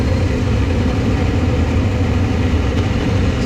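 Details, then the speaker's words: Laars Pennant two-stage commercial hydronic boiler with a no-heat complaint: combustion blower starts after a few seconds with a steady, even low drone, no rubbing, rattling or surging; draws a normal 3.9–4 A at startup. "this fan is going to start after a few seconds let's see if I can get a reading with those amps"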